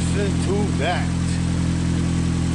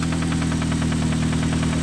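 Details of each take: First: Engine after every rod bearing was replaced to fix heavy rod knock on connecting rod number 1, new oil filter, first startup: steady, even idle with smooth low hum and no knocking from the bottom end; normal idle. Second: Engine at idle with a loud, sharp, steady knock about eight times a second; connecting rod bearing knock, with advice to check oil weekly.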